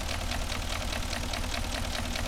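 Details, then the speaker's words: Porsche Cayenne Turbo 4.5 V8 at idle: steady sharp knock about eight times a second over a low rumble, piston slap from the piston group, same fault as a sister 2006 4.5 with scored cylinders that smoked and misfired. "Я вже знаю що про цікени розказувати стандартна всіх ситуація ще он один пригнали тоже 4,5 в нас їх тут автопарк цілий щен один пригнали 4.5 Турбо час я покажу в чому проблема як стукають поршня"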